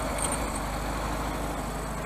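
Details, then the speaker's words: 1971 VW Super Beetle with an air-cooled flat-four, third carburetor fitted, timing set, just started after sitting; a touch lumpy at first, then a steady even idle, motor sounds healthy. "This motor sounds very healthy. It really does."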